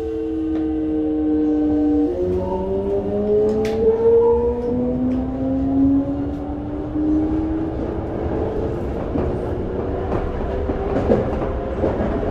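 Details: Toei 5300 series set 5315, Mitsubishi GTO-VVVF, on Keikyu line rapid limited express (Misakiguchi–Kanazawa-bunko), in-car recording: stepped rising electric tones under acceleration with an odd extra whine, abnormal traction inverter noise.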